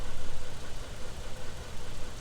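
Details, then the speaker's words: 2010 Dodge Ram 3.7 with a replacement engine, fitted after the original broke a valve seat; check-engine light on. Deep, lumpy, surging idle; after about 5 minutes it still puts condensate and bubbles out the tailpipe, indicating a blown head gasket. "it's been running for about 5 minutes and it hasn't stopped putting condensate out the tail pipe we all know what that means right blown head gasket"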